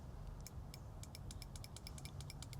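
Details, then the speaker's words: Ducati Monster 900 fuel injector removed and pulsed on the bench after cleaning: sharp, slightly uneven light ticks at about five per second over a low hum; the injector is clicking open, which was inaudible when installed. "It's weird. I can hear it now where when it was all hooked up, I could not hear it."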